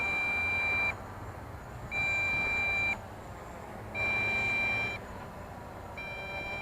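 A high steady beep, one second on and one second off, about thirty a minute: the transmitter's low-battery warning.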